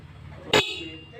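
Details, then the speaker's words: Motorcycle with two horns on one button, switch pushed left: the stereo horn (a pair of stereo horns) gives a sharp, loud blast of about a tenth of a second over quiet street noise; horn sounds properly. "Nah, suara sudah bunyi ya, klakson stereonya sudah berhasil."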